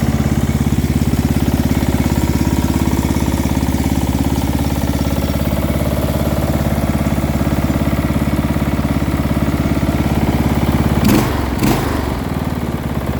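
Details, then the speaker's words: Small engine from quick build, with muffler, meant for a Murray project if no knock: steady idle about 200 beats a minute with light low rattle on each firing; not a heavy knock, cause unclear. "i hear a bit of a rattle there [Music] is a bit of a low end rattle but it doesn't necessarily sound like a knock"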